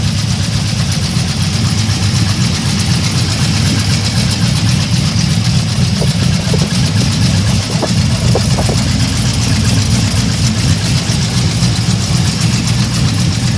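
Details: LS3 V8 idling with a deep steady rumble and a light, fairly quick ticking on top; owner wonders lifter or rod knock; cause unconfirmed.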